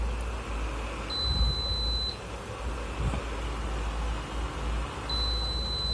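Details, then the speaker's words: Induction stove with a sticking power button that must be pressed long and hard: over the cooling fan hum, a high steady beep sounds for about a second, then returns and holds; stuck button causing continuous beep. "ரொம்ப force அப்படி அமைக்கி press பண்ணாலும் இந்த beep sound வந்து கண்டினியூஸாக கேட்டுகிட்டே இருக்குது."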